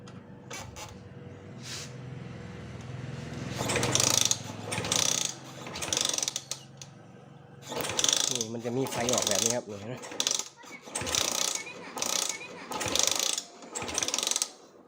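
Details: Honda Sonic motorcycle that stopped starting after owner rerouted wiring: starter spins in uneven bursts about once a second, engine never catches; no spark at plug, traced to faulty burnt regulator/charging panel.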